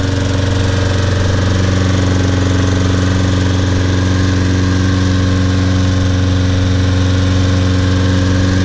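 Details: Trash-picked Toro Personal Pace Recycler self-propelled mower after carburetor cleaning, tank flush (old dried gas, some water), brittle rubber seat replaced and new air filter; steady even drone at constant speed, no surging or stumbling; runs great.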